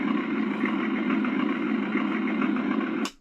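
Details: Accucraft Goose #2 on blocks after the broken drive gear was replaced, chain drives off, powered up on the rear wheels: steady motor hum with a smooth gear whir and no knocks or chatter; the drive runs cleanly.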